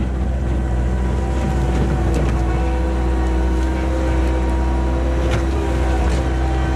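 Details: 1999 Bobcat 864 tracked skid steer digging after a rebuilt right-side drive motor replaced one that whined and barely moved under load: heavy steady diesel roar, even and strong, no surging; drive now working well.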